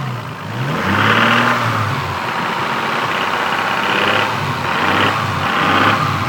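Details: Stock Toyota Supra MK3, 200,000 km, burning about 1 liter of oil per 600 km: raspy, hissing rattle swells with each rev climb under acceleration; owner suspects valves or injectors, considering a head overhaul; cause unconfirmed.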